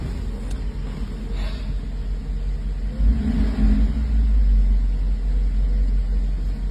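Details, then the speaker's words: 1984 Mercedes 380SL V8 after replacing the oxygen sensor and installing a new-old-stock ECU to cure rough idle and black smoke: deep, even rumble with no misses; normal idle. "right now this is this is how she's supposed to sound this is how she's supposed to run"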